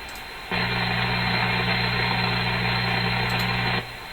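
A steady low buzz with a hum under a hiss starts and stops abruptly, typical of electrical interference from a nearby source.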